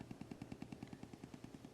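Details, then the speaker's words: 1980s Carver M-240 car stereo amplifier on test, speakers fed through the preamp from a music player: sharp, even clicks about ten per second with no music playing. Interference from a nearby wireless router. "input source going through the preamp from the music player you can hear that clicking sound"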